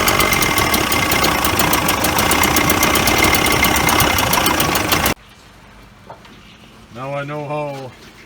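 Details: Mercury Force 40/50 HP outboard after replacing a delaminated fuel line and adding an inline fuel filter: the motor catches and runs with crisp, even rapid firing and no stumbles or misses; normal running.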